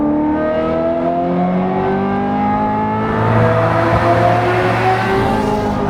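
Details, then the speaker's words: Ferrari 355 manual gated V8 after a full engine strip and refresh, with a Tubi, Larini and Capristo exhaust. Revved to about 7,500 rpm (it revs to 8,500), with the note changing above 4,000. A crisp, smooth rising scream. Healthy. "that was up to 7 and a half th000 RPM. It will rev up to 8 half,000 RPM."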